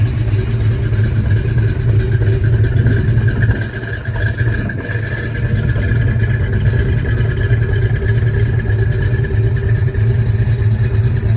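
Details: 1970 Pontiac cruising, iron heads with Rhoads flat-tappet lifters: deep steady drone with light even tapping underneath; normal flat-tappet lifter sound.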